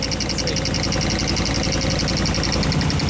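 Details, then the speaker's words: LS-powered Chevrolet Caprice PPV police car, engine hot: rough idle with an uneven top-end tick-knock that appears a while after startup. Checking one injector made a big difference but the noise remains; a dead cylinder from the clogged injector and a loose spark plug. "oh okay that's made a big difference wow but it's still there that's weird"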